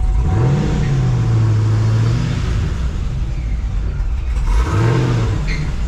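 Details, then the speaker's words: Cammed ProCharged fifth-gen Camaro, manual, before calibration fix, running a master cooler: loud idle hunting, revs sagging and climbing over a few seconds; unstable idle, suspected from calibration, VE table probably not on, master cooler possibly contributing. "it appears we are running a master cooler on this could be part of the surging especially since it probably doesn't have ve on"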